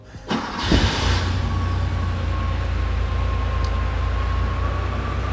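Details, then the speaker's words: Porsche 911 SC at idle, checked with a lab scope ignition probe; the engine catches quickly and settles with a faintly uneven pulse. Low spark resistance on cylinder four, with a slight shake but no dead cylinder: slight misfire at idle. "so here I'm dealing with a low resistance on my number four uh car shaking just a little bit um but it doesn't sound and feel like it has a dead hole just from looking at this data"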